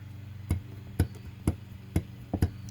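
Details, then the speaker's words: 2010 Toyota Venza wheel hub after a shop pressed in brand-new bearings: the hub moves in and out with axial play and binds when spun, giving sharp metallic clunks about twice a second as it is rocked; the bearing job is bad and must be redone. "whole hub is moving in and out sit movement there watch see that that shouldn't be having it I can take this I can take the hub and move it like this it's hard to do with one hand but there's movement right there and in and out so this is junk now needs to be redone"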